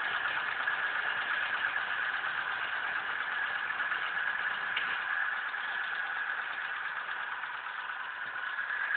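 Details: 1996 European-market Mitsubishi 4G63 2.0 113 hp, 200,000 km: steady idle with a rough, irregular ticking knock about three times per second over the engine note; engine knock, cause unclear.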